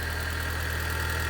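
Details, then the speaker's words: Vauxhall Zafira GSI (Z20LET), not run in 7 years, after fresh petrol and adjustments: smooth, even idle, still in cold start and expected to drop below 1,000 rpm, no knocks or ticks, quiet exhaust; normal idle. "So, after a wee bit of jiggery-pokery as you can see, she's idling perfectly. Still in the cold start, but that will drop down to below 1,000 revs."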